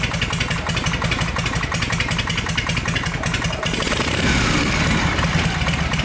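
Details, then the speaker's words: Harley Shovelhead V-twin hard starting because of a leaking intake: loud, ragged, uneven pulses that stumble and never settle into a steady beat, before the fix and with the exhaust baffle still fitted. "Why are you being a hard starting bitch now? Get a little juice, go-go juice. Come on, baby. You never did this to me before."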